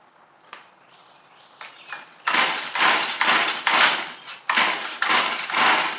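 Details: Stihl FS38 trimmer that wouldn't start, after swapping in a HIPA aftermarket carburetor, choked and primed: rough quiet start, then a high buzzy two-stroke scream surging and dipping with throttle blips; normal running.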